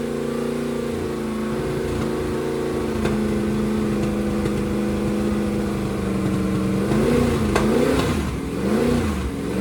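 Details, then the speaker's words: 388 small-block Chevy V8 for a T-Bucket hot rod with vintage Hilborn mechanical fuel injection, first run, fuel pressure over 50 psi: deep steady lumpy idle, then a few quick throttle blips; normal idle, a good first run. "That's a good first run. Sounds really good."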